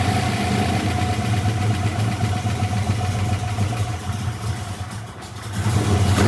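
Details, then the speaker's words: V8 with replaced lifters, cam and longer pushrods, first startup on Terminator X with unknown timing: settles into steady even deep smooth idle, timing reads 20; no knocks or ticks, running fine. "Car's running fine."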